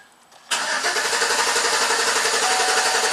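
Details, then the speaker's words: 2011 Chevy Silverado 5.3 V8 with an intermittent stall and no-start and code P025A (fuel pump control module enable circuit), after it died again: steady cranking at about four turns a second that never catches; crank no start. "Crank no start. Excellent."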